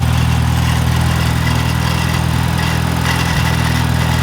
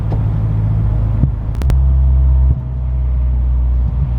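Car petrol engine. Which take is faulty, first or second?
first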